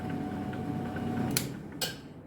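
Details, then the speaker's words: Oversized replacement milling machine motor (HQ800 mill, 200 W more than the old one) runs with a quiet, steady hum that fades as it slows, then two sharp clicks half a second apart: the centrifugal switch dropping in, normal. "That clicking noise that you're hearing there, that's the centrifugal switch."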